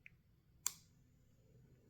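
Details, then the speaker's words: N47 diesel standalone wiring for a Jeep XJ swap, DDE wake-up wire energized: one crisp, sharp click in quiet as power comes on; main relay pulling in normally, clicking off again after about 30 seconds. "You hear that click? That's the relay turning on."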